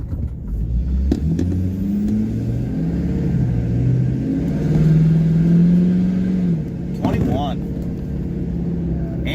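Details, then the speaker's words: 2011 Ford F250 6.7 Powerstroke, ~200k miles, after cracked factory plastic intercooler pipe replaced: deep diesel note climbs smoothly through a pull toward 20 boost with no whoosh or hiss; healthy, though a small low-pressure boost leak is later suspected. "anyways we're doing good let's see here's a little pull let's see if we get it up to 20"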